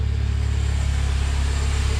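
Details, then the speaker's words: Mini Cooper R50 started after a full oil service, with a couple of minutes left for the oil to settle first: fires up into a smooth, even low idle with a steady deep hum and no knocks, ticks or misses; running healthy. "so it's been a couple of minutes it's now gonna try it fire it up there you go good"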